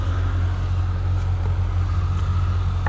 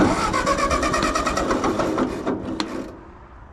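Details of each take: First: So that tractor sure does sit there and run nice though, doesn't it? Not a rattle or a bang or nothing out of them. Oh, still wants to warm up. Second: Carbureted tractor in neutral on a cold start, choke pulled after cranking: it cranks, dies briefly, then catches into a lumpy, uneven idle that steadies somewhat while the hydraulics lift. It needs a long warm-up; owner suspects the carburetor is not getting enough fuel.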